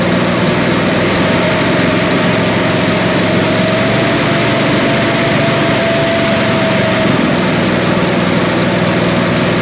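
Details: Billy Goat leaf blower, Briggs & Stratton 9.5 hp single found headed to scrap, sooty plug, low compression, slightly choked: steady even run at constant speed, no knocks or misses, running well.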